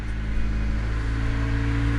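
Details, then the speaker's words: Honda Civic (EK) started for the first time after repairs, at about minus 23 °C wind chill, on a flat battery with a booster pack. Deep, slightly uneven rumble that catches and holds after a struggling crank. Hard starting; owner suspects the booster pack needs charging. "She's a little cranky. I think the booster pack needs to be charged."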